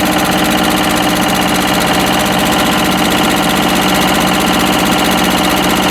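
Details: Westwood lawn tractor's Ruggerini twin-cylinder air-cooled vertical-shaft diesel, previously hydrolocked, idling after repair; quick, even chugging about four beats a second with no knocks, misses or rattles, running healthy.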